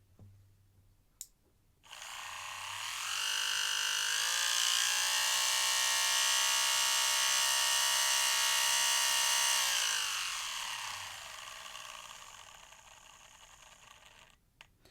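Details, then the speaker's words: Brand-new Fly slot car, body removed, chassis powered on the bench before lapping in gears; high steady buzzing whine with gritty edge as motor spins up, noisy new gear mesh. "Now, if we put some power to this, you can hear that she's not the quietest in the world."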